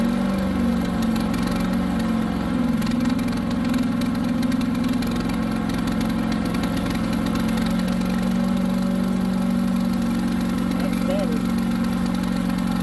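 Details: New Harbor Freight Predator 212 chipper shredder that previously ran only on choke, restarted after the fix (choked, then choke eased about halfway): steady, even idle with no surging, running cleanly.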